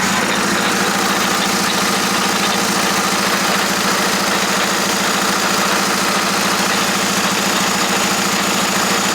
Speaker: hey guys so as you're probably hearing that does not sound good and one thing that actually was wrong is i'm going to show you right now yeah you can see that those bolts that i installed they were making contact with the gears